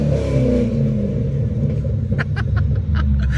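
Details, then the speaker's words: After a new BBK intake manifold cured vacuum leaks, first start-up: deep, even engine rumble under clicks, not louder but buttery smooth, no misses, ticks or hiss. Normal idle and revving. "it's not louder it's just really smooth it's almost it's buttery very good"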